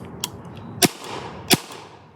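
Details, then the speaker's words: 2003 Spyder Xtra paintball marker from a yard sale, aired up and test-fired outdoors with hopper. Three sharp, clean pops about two-thirds of a second apart, no hiss after; the marker cycles properly. "I'm happy that shit cycled."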